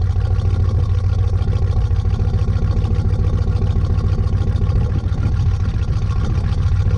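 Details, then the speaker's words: 1986 Chevy K10 carbureted V8, carb and choke recently tuned, sat about 1.5–2 months in a tarp garage, cold at about -6°F: deep, steady V8 rumble with even beat at fast cold idle, no stumbling or misfire; normal cold idle. "way so the fact that it started that good actually makes me pretty happy sounds like a little tractor it's pretty funny"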